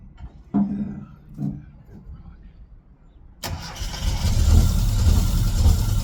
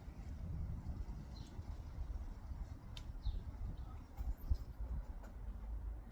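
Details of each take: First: Classic Mini engine on its first start in 12 years, known to have low compression: quiet handling, then it catches first try and settles into a steady, even low idle with no knocks; normal idle. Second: Classic Mini first start attempt after 12 years, engine known to have low compression: sudden loud fast churning crank that never settles into an even run and won't fire, coming close before it later starts.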